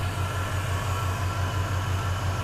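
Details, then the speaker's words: 2000 Chevy Silverado after an e-fan conversion using a 2013 Escalade 6.2L fan assembly, engine running, AC on: quiet, low, even whoosh with a soft steady pulse, no rattle or whine; electric radiator fans running normally. "yeah yeah fans's running and it is whisper quiet is that crazy you can barely hear the fan"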